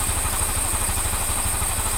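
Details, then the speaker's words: Honda Scoopy (Genio engine, code KOJ) after replacing the crankshaft bearing, connecting rod and valve seals and redoing the valve lapping: an even, steady low putter with no knock or rattle. Normal idle. "Untuk sekupi jenis mesin Genio ini saya nyatakan selesai, mesin sudah halus, hanya dilakukan penggantian di bagian laker kruk as, kemudian stang shaker, kemudian seal klep dan sekur ulang."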